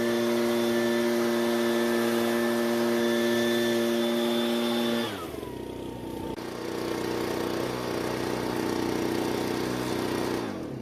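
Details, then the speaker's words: Ryobi backpack blower, two-stroke, after richening the carburetor H screw a further quarter turn counterclockwise: an even, steady high-speed buzz with no stumbling, running much smoother with slightly lower speed, then dropping cleanly to a settled idle. "Now it did lower the engine speed just a little bit, but it's running much smoother, which it wasn't doing before."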